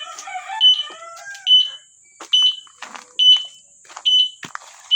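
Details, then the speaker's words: E-bike alarm after the rusted horn relay was replaced; before, the alarm sounds came out mixed together. Now steady high-pitched chirps just over one per second sound in sync with the flashing signal light: normal alarm. "Dapat ganyan mangyayari. Natunog siya at the same time naandap yung ating signal light."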